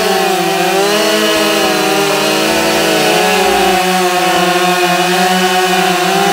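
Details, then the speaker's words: Husqvarna 572XP autotune chainsaw cutting white pine at full throttle after the autotune adjustment idle procedure. Steady, strong high-revving scream that holds pitch under load; cuts much faster than before, healthy cutting. "but holy moly this thing cuts now"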